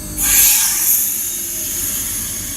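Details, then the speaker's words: Mitsubishi 4-zone heat pump outdoor unit ending a test run: sudden loud rush of refrigerant gas easing as the unit winds down when the reversing valve drops and the unit shuts off, then shows a 1, 1, 1 code. "Wow. So it just dropped the reversing valve and turned off."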